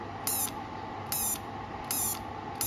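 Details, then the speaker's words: TIG200 inverter welder after a relay replacement; it had shut off after running and TIG mode had not worked. TIG triggered: the solenoid clicks and sharp crackling high-frequency arc-start bursts come about every 0.8 s over a steady hum. Normal arc start. "ถ้าทำงานได้ก็จะมีเสียงซีนอยแล้วก็อ่าชุดไฟอคตรงนี้นะครับไฟแรงสูงจะกระโดดนะครับ"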